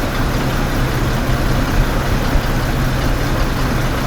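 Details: 2008 Ford F-150 4.2L waste-spark ignition at idle: dull, heavy beat missing firing pulses; two-cylinder misfire from a bad PCM coil driver, persisting after new plugs, wires and three coil packs.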